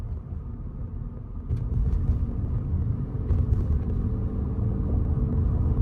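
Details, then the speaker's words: Toyota Veloz, recorded in the cabin on the driver's side while driving: low, even road rumble with no whistle or fuel knock. A whistle heard when the car was new stopped around the first PMS service. The car is quiet and smooth. "and with regards to the fuel knock as well that you've been asked King there you go I don't hear it I don't hear anything still very quiet very smooth"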